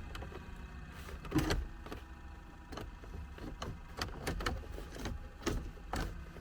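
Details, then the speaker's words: 1979 Porsche 924 cabin, engine running: low steady blower whir under scattered clicks and knocks as the fan is switched on; heater blower fan works normally. "maybe this nothing happens with that fan oh yeah something's coming on oh there's a fan there"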